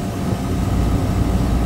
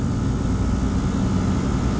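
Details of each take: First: Beer walk-in refrigeration compressor pumping down, should cut out around 30 PSI: steady deep drone with no cutout, starting to bypass; pressure control is bad, so the unit keeps running trying to shut down and can't. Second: Rooftop HVAC unit's compressor during refrigerant charging, turning in the right direction with pressure rising: a steady, even low hum with no knocking, rattle or rising whine; normal running.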